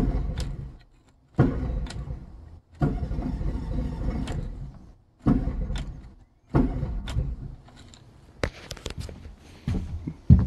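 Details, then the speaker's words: 2013 Yamaha 9.9 four-stroke outboard on muffs with hose, complaint of rough running and hard starting: catches in short ragged bursts that die and restart, never settling; owner suspects carburetor (not confirmed). "okay i got the hose running on it i can already tell this might be carburetor related"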